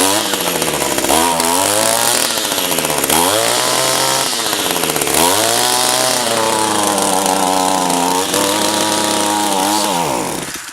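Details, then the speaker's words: Echo SRM-225 two-stroke trimmer, about 1,000 commercial hours, with an aftermarket replacement carburetor, restarted hot on a hot day: high buzz that sags and climbs back every two seconds, never steady; owner thinks it runs lean when hot, hot-start issue unresolved. "let it sit for a few minutes try to start it and it just runs it's like it's lean there it's just not getting the fuel you know"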